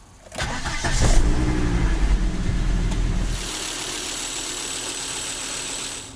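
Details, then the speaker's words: 2000 Volvo V70, 2.4 B5244S naturally aspirated five-cylinder, after replacing spark plugs and ignition coils: quick crank catches cleanly, brief rev, then smooth, even idle without stumbling; no engine codes, repair successful. "all right that's it engine's running nice and smoothly again no engine codes on i'd call this a success"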